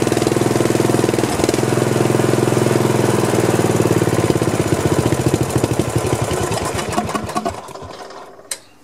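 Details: Old Snapper 1438S rear-engine riding mower after carburetor refitted and fuel flow restored: single-cylinder engine thumps at steady quick beat several seconds, then slows and shuts down; running normally.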